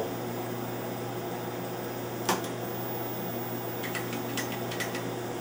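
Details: TR-70 quadruplex video tape recorder from WGTV, stored since 1983, first AC power-up: steady low mains hum with fan rush and a few light clicks, no fault sounds; supply voltages present.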